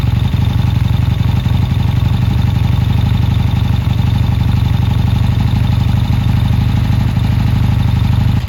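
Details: Triumph T140 twin before new carbs, hard to start, dead battery, lots of smoke: low, lumpy beat of about four pulses a second that keeps stumbling and never settles into an even idle. Runs rough, cause unconfirmed.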